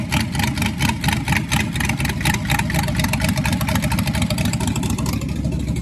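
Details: Rebuilt Ford 289 V8 idling during break-in, timing set a little high at first: steady idle with an even, quick exhaust pulse and throaty low rumble, no knock; sounds normal, though the cam was later found eaten up.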